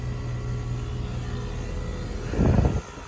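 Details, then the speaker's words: Rheem 5-ton central air conditioner during maintenance, with 45-degree weather outside: after the thermostat click, the outdoor condensing unit's compressor runs with an even low hum and no surging, knocking or squealing, then a brief handling thump. It is running normally. "That noise in the background, that's the compressor."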